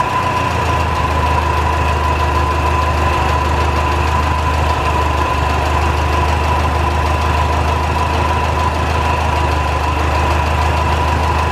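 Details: 1949 Ferguson TO-20, Continental Z120 four-cylinder, sat 15-30 years, just revived after cleaning carburetor filter goo, run briefly without coolant: lumpy uneven idle with steady high whine on top; owner suspects bad generator bearings.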